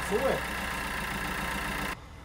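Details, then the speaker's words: Peugeot Bipper 1.3 diesel, customer complaint of rattle when cold, after refitting the injectors and changing and priming the fuel filter: runs smooth with no rattle, diesel knock cured. "so I just cycle it again then I'll do four turns and then hopefully there should be no more rattle"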